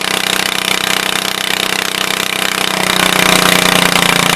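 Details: 1974 Case 220 garden tractor, formerly a mud tractor, running after fuel pump and fuel tank work (owner plans a better fuel pump): loud busy clatter with quick steady beat, slightly picking up near the end, normal running.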